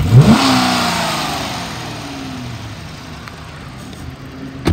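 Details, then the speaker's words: 2013 Dodge Charger PPV, 5.7 L V8, automatic, 80,000 miles, run about an hour: quick revs falling back smoothly, even exhaust note, no knocks or misfires, strong and responsive; front thump when driving, possibly bad motor mount or bushing. "sounds good sounds like it has a lot of power and it's very responsive"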